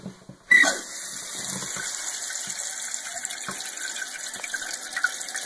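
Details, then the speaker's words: Toilet after fill valve replacement to fix a leaking, hissing, constantly running tank: steady smooth rush of water refilling the tank until it shuts off, no sputter or squeal; float height still needs final adjustment. "far so good okay it has filled to where it has shut off"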